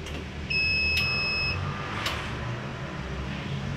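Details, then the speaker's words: Cheap inverter (advertised 1400W, small PCB) trying to start a 1/2 hp pump motor; one steady high beep about a second long, then only low hum, overload alarm and failed start. "a field once done you start mr. Saphir it can start beep useless fail"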